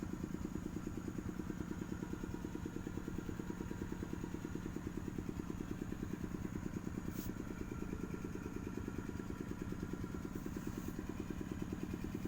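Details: Overheated engine after coolant ran out from a failed seal: steady, fairly regular clatter about two per second over a quiet idle; engine needs teardown.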